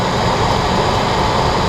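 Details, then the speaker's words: 2003 Ford F-150 4.6L V8 idling smoothly with steady even hum after replacing the bad A/C clutch, pulley, coil and bearing; rattle gone, repaired. "no more rattling. It's fixed."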